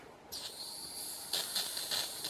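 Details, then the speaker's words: Gas fuel tank for a steam engine in a Stormy 45 RC motor launch, overfilled (frosted tank) during refuelling: a steady high hiss with sputtering spurts about every half second as liquid droplets spit from the vent. "You can hear it. Yeah, we see droplets coming out. Yeah. So one of the problems of this whole arrangement is overfilling the tank."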